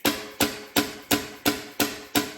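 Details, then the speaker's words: 1970 Plymouth Duster 225 Slant Six, off the road 26 years, valvetrain exposed while the engine is turned by hand: sharp, clean clacks about three a second as the valve snaps shut against the head; valve closing freely, not sticking. "so that's why hear that that's that valve slamming against the cylinder head you want that"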